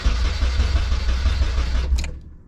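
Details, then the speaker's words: Nissan S13 240SX with a sticky relay in the fuse box: strong, even cranking for about two seconds without firing; fuel smell present, so spark suspected, possibly the igniter. "nothing but I smell fuel so that's not necessarily a concern now we're just going to be looking towards spark"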